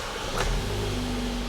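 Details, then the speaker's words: 2017 Suzuki Swift towed in as a crank-no-start: with starting fluid sprayed into the intake it catches and runs steadily, so it isn't getting its own fuel. Injectors, fuel pressure or an empty tank are still unchecked. "oh actually it runs nice I wonder if we did we fix it oh no we didn't we just introduced some fuel so it looks like this car no it doesn't look like this car is not getting any fuel"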